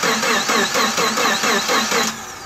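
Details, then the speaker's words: Subaru Forester XT EJ25 turbo rebuild with closed-deck 800hp block, fuel drained: starter cranks evenly for two seconds then spins down without catching; stored ECU crank position sensor fault code was preventing start. "all right so we had a fault code stored in the ecu it was preventing it from starting and there's wasps sorry the fault code was for the crank position sensor"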